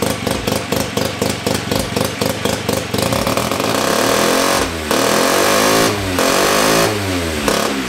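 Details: 1975 Hercules W2000 KC27 294cc rotary, 5-speed, ~30 bhp, fully rebuilt, kick-started with transmission on; carburetor tilted. Popping, uneven firing about four beats a second, then rising revs with sweeping pitch; runs properly, normal running.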